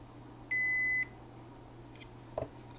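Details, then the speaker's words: Kessler Crane camera-crane control box on the bench, diode/continuity test from ground plane to the power transistor's emitter pin: one steady half-second beep, dead short on the emitter; owner says it worked, then stopped one day. "so we have a short on the emitter the emitter pin now why is that what is the resistance yeah we have a dead short on the emitter pin"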